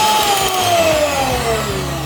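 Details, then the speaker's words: Miyako HM-620 hand mixer, old casing fitted with a new replacement motor: smooth, steady high-pitched hum sagging slightly and evenly, no rattle or scraping; sounds like new. Normal motor run. "Saya baru kali ini juga mengganti langsung mesin kayak gini, mencoba, tapi alhamdulillah bagus. Suaranya juga baru seperti baru,"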